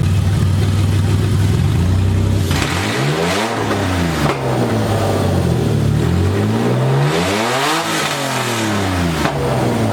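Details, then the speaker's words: BMW E30 with burble tune on open headers only, first start-up: loud raw exhaust climbing and falling through sharp revs, crisp pickup, clean return, faint overrun crackle; normal revving. "I'm gonna rev this thing because there is a verbal tune on it and I've been dying to hear it."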